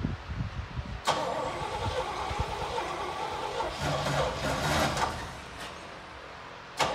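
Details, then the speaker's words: 1972 Chevy K20 that had not run in 15–20 years, with Marvel Mystery Oil added: starter cranks, the engine catches with a sharp bang and settles into a somewhat uneven run, firing up after long storage. "Hey guys, keep in mind this thing hasn't ran in 15 years, maybe 20 years, so it's pretty crazy. We put some Marlboro Mystery Oil in it, got it fired up as you can see, and now he's driving it down the street."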